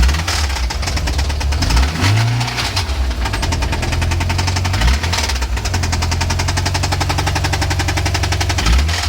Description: Strange knocking noise coming from engine